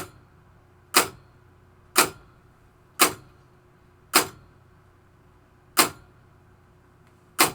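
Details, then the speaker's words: 1973 Williams Travel Time pinball clock pulse unit after potentiometer adjustment: crisp evenly spaced clicks about once a second; clock pulsing at preferred normal speed. "That's about like where I like it."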